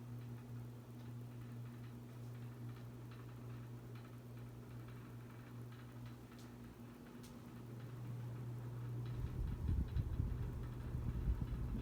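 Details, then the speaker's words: 52-inch oil bronze Harbor Breeze Caratuk River ceiling fan on full speed, mounted on a roughly 12-foot ceiling: low motor hum with soft regular ticking about three times a second; blades vibrate a little, still runs well and moves air. "As you can tell, the blades vibrate a little bit with the vibration, but that's okay. Still runs good though."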